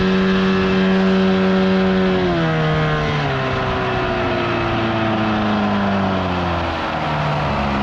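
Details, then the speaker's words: 1979 Evinrude 35hp two-stroke outboard on the water after adjustments, with the air box removed. It earlier failed to reach wide open throttle. Steady buzz drops in pitch as the throttle eases at two seconds, then holds clean and even; seemed to run perfectly fine. "oh she's running just fine now no issues there she's running up"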